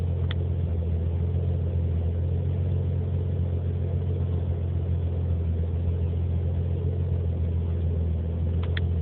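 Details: Nissan 300ZX petrol engine idling with deep, slightly uneven rumble; running very lean, code 55; IACV, timing, TPS corrected, injector replaced, O2 sensors and vacuum lines checked; rough idle cause still unknown.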